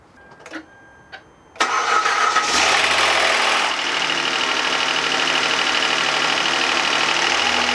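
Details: 2011 Hyundai Santa Fe 3.5L V6, start-up: cranks, catches and settles with quick light ticking about three per second that fades soon; owner suspects lifters or injectors, louder than normal.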